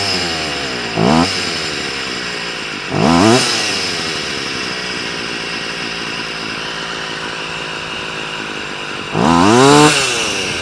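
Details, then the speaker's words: Stihl FS38 two-stroke strimmer after carb tuning (mixture richened, idle and slow screws reset after prior tampering): three sharp blips rise cleanly and drop straight back to steady idle, no bogging; responsive, head not spinning. "you go right don't sound half bad very [Applause] responsive but head is near enough not touching not spinning"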